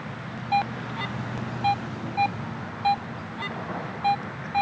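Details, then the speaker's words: Garrett AT Pro International metal detector after automatic ground balance, with no ground reaction: quiet hum with short, clean mid-pitched beeps as the coil passes, a solid target response showing about eight inches depth. "I'm not getting that ground reaction. I've got a good, clean huntable situation here where I'm not picking up the ground."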